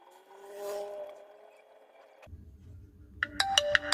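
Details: Jio F220B phone after a ringer jumper repair for no ringer sound: a clear ringtone melody plays loud and clean with no crackle or dropout. Normal ringer output.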